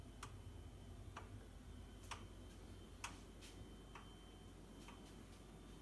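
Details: Boxi boiler knocking: sharp regular ticks about once a second over a quiet room hum, repeating steadily; cause not clear.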